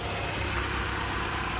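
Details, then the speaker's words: Vauxhall Corsa bought at auction, first start: even, steady idle with a constant low drone and no ticking, knocking or misses; engine sounds good. "up and as you can hear the engine sounds good which is absolutely great"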